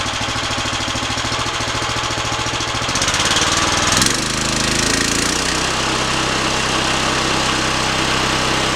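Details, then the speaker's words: Harbor Freight Predator Hemi 13 HP 420cc OHV horizontal-shaft gas engine on a stump grinder, about 20 hours, electric start, choke off: steady even putter settling smoothly after a brief rise in speed, no knocks or misses; healthy. "We'll go ahead and turn it on. It's going to get a little noisy, so I apologize for that."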